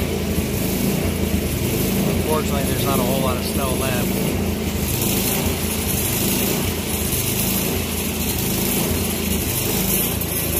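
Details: Troy-Bilt Storm 24-inch snowblower after clearing the air vent, adjusting the float tab and fitting a new spark plug: small engine holds a fairly steady idle, slight unevenness, no misses or surging; running acceptably.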